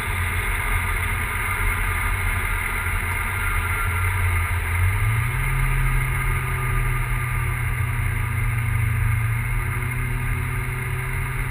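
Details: Big-turbo E85 Volvo 940 running unevenly and lumpy, with irregular stumbles in the exhaust beat as revs change; misfiring for unknown reason.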